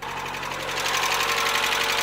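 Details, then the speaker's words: Mazda Miata idling before Seafoam treatment: fast, light, even ticking over a steady idle. The lifter tick has returned and is getting louder; owner hopes Seafoam cleans it out. "right so this is the ticker the lifter take notes making check it out it sucks but hopefully the seafoam will clean it out"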